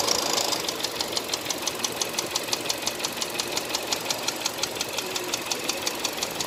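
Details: Hyundai Accent at steady idle: sharp, even metallic ticks close to three a second, a clear engine knock whose source isn't known.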